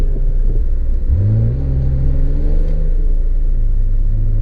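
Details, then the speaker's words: 1988 Acura Legend V6 sedan on its first drive after sitting 10 years, following new injectors, ECU, fuel pump and tune-up: smooth, even pull with revs climbing cleanly and good throttle response. No misses, knocks or CV joint clicks. "Dit is mooi redelijk goed gaspedaal reactie geen klikken van de homokineten de motor klinkt goed"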